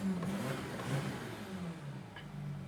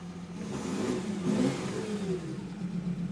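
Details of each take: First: Audi Q7 diesel, 162,000 miles, brought in for rough running, limp mode and cylinder contribution code P0263; engine running in the shop revs smoothly with a low drone, no misses or knocks, sounds not too bad. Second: 2014 Audi Q7 diesel with check engine light, code P0263 cylinder contribution, misfire and limp mode: brief rev sounds flat, rough, never reaching full speed, with hiss; suspected exhaust leak. Rough, weak rev.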